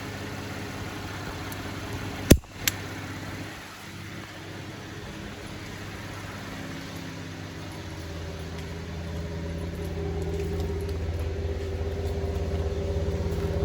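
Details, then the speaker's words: 2015 GMC Canyon 3.6L restarted after coils were reinstalled; it had a clear misfire at idle since a dealer service. Plugs dry at first, then a steady, even low rumble at the tailpipe with no skips. Normal smooth idle. "so far she sounds really good i heard the plugs were dry at first and then as they they got saturated per se um now it's running nice and smooth"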